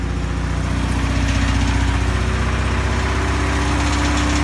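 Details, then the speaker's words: 1984 Pontiac Fiero Indy restoration project: steady idle with an even low pulse and a faint light rattle on top, otherwise runs alright; cause of rattle unknown. "It's got a little bit of a rattle. Other than that, it runs alright."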